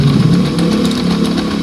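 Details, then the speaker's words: Honda Scoopy FI scooter at idle, brakes checked free: loud, rough droning from the CVT side as the rear wheel spins without throttle and stops when the brake is applied; detached clutch shoe lining causing clutch drag. "nah jadi pada saat kita starter roda belakang ini langsung berputar ya tanpa kita angkat gas ini langsung berputar namun suara sangat kasar di bagian se ya"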